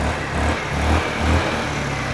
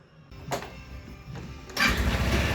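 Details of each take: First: Wolf EX-150 scooter, GY6 157QMJ 150cc four-stroke, new spark plug fitted and idle raised: barely ticks over with slow, uneven low pulses sagging toward stalling, then dies. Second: Wolf EX-150 scooter, GY6 157QMJ 150cc four-stroke single, after repair: starts almost instantly into a steady even idle, then two clean revs that rise and settle smoothly; running healthy.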